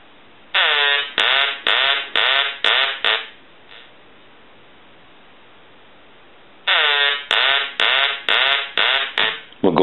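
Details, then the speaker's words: Duck novelty telephone, final check after repair and reassembly: nasal quacking ring bursts, five in quick succession, a pause, then another five, so the ringer works properly. "so we're going to go ahead and ring the duck again I'm going to let that go a few times"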